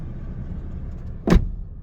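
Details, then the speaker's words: Toyota Corolla manual at 63,000 miles, door opened and closed: one solid, clean thud with no creak or squeak; hinges sound like new, nothing sags. "As if like it opens and closes as if it was a brand spanking new. Nothing sags."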